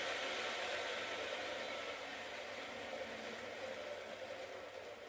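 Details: RBC411 two-stroke brush cutter that shook violently from a bent blade tip, after straightening the blade: steady high buzzing run at even speed with no wobble or surging; the cutter sounds smooth and healthy.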